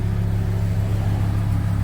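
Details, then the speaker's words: VW Transporter T4 campervan after exhaust repair, damage from backfire caused by a faulty new rotor button; tailpipe remounted to rear bumper, new gasket: soft even low rumble at idle heard from underneath and out the back, no puffing or rasp; normal quiet exhaust. "Alright, well, let's go and have a look underneath at the completed work and how quiet it is out the back. Oh, not very loud at all, are we?"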